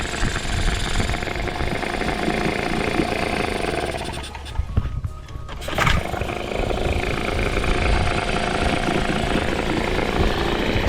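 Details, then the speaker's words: 1998 Nissan 5 hp single-cylinder two-stroke short-shaft outboard with internal fuel tank, after a carb clean from sitting a while: a light, even putter holding a steady idle with no misses. Quiet for a 1-cylinder 2-stroke; normal idle. "It's honestly pretty quiet, being a 1-cylinder for a 2-stroke. Yeah, I think that carb clean did the job."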